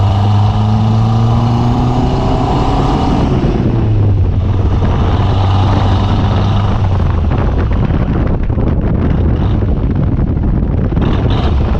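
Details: Conquest turbo (G54B) on a road drive after leaning out on the MAF-T: engine pulls and rises in pitch under load, then dies off to road noise; cutting out under boost, fuel pressure seemed to drop, cause unconfirmed.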